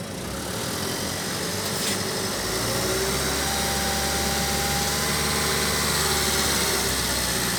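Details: Ford Figo Aspire engine idling with a fast, fairly even ticking about three to four per second over a hissy running sound; knock-type noise, cause unclear.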